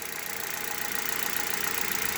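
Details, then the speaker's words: Hyundai Solaris on green 5W-30 oil after 1000 km, cold start warming up, revs dropping: light, quick, even ticking over a smooth idle with no knock; normal injector clicking. "слышал только форсунки как щелкают"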